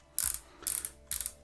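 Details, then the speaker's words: Abu Garcia Revo4 X-W-L baitcaster reel after a drag clicker was installed: crisp bursts of fast, sharp, even ratcheting clicks as the drag pays out; normal, healthy drag clicker. "Do we still have the drag? Yeah, we have the sound. Can we adjust the drag though? Nice, the sound improved as well. It's quite nice actually, very nice. Very like clicky, awesome."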